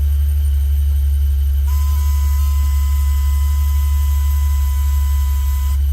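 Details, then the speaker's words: 1974 Alfa Romeo Spider Veloce, revived after 30 years in storage, first moving in reverse on its first test drive: steady high-pitched buzz over a low hum for about four seconds, then stops; owner suspects the passenger seatbelt warning buzzer. "That sounds like the seatbelt warning. Got it. on the back. I wonder if it's the passenger seatbelt warning."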